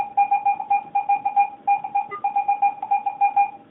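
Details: Garrett AT-Pro metal detector air test with a clad quarter at about 6 inches, reading ID 86–87. A crisp mid-pitched beep repeats three to four times a second, a solid, normal target hit.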